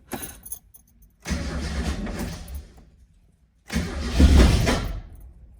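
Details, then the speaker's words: Mazda Miata bought used, sat at least a month, in neutral, first start after work; catches after cranking then lopes unevenly; owner suspects the cam angle sensor upset timing, but the cause was spark plug wires in the wrong order. "that's not good oh oh it's running rough you guys hear that okay yeah that okay that's not good okay maybe we're not going to get the startup that we want I think because I messed my cam angle sensor I think it messed up the timing"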